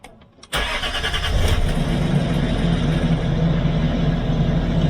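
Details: Land Rover Discovery 3 after replacing an aftermarket oil pump with a new OEM Ford pump for low oil pressure, morning start at 18 degrees: quick crank, catches at once, rattle gone in about two seconds, even steady idle; healthy start.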